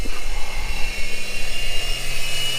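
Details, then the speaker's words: 1997 Chevrolet Camaro 3800 Series II V6 just after start-up: steady high-pitched whine over a rough idle; owner suspects the power steering pump, not confirmed; possible head gasket issue also unconfirmed. "still winds like hell that's probably the the power steering pump"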